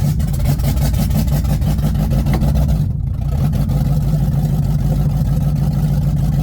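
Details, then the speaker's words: Ford Mustang just after welded transmission repair, cold with no warm-up, pulling away under light throttle: uneven stumbling beat and brief dip, sounds like misfire; car later stalls and may not leave first gear. "Alright, we're moving. Sounds like it's misfiring for sure."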